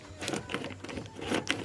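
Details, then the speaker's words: 1976 Bally Flip Flop pinball: quick sharp flipper clacks with uneven, sluggish returns; worn flipper linkages with play make some flippers hang up and lose strength, needing rebuild. "you can hear kind of it hangs up. Same with down below here. This one, good. This one, not so good."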